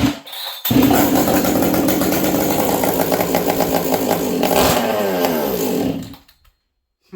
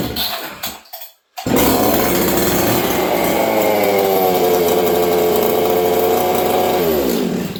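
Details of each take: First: Husqvarna 266XP chainsaw at about -40 in an unheated shop, nearly empty leaking fuel tank: fires up with a crisp even buzz, revs cleanly and shuts off; still thumps well without excessive thump, runs healthy and strong. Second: Husqvarna 266XP chainsaw, fairly high compression, about 60–65 cc, started at -40° in a cold shop: after a couple of pulls it fires and holds a high, thin, screaming rev that never burbles; running lean.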